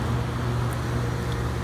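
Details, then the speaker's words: 5-ton residential packaged heat pump in heat mode after a jumper wire was added at the thermostat: steady, even low hum with no knocks, rattles or squeals. Draws 21.4 A, a bit more than in cooling, and blows warm air. Normal operation. "anyway i added a jumper wire and now it's working so you can hear it run it's in heat pump mode"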